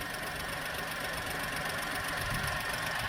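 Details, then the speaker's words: 2010 VW Polo three-cylinder, 150,000 miles: quiet, steady idle with a slightly uneven three-cylinder beat and no ticking or rattle; engine sounds healthy. "obviously they always sound slightly off beat because they're only three so we hear the change nice and quiet"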